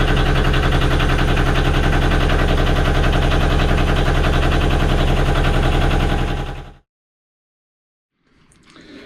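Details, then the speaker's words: Junk schooner sailboat engine right after installing a new starter motor: even, regular chugging with no knocks or stumbles until shutdown, sounding smoother; normal running. "What does it make that sound? >> It's just a new start motor. >> Okay. >> New start motor. It just sounds a bit smoother, doesn't it?"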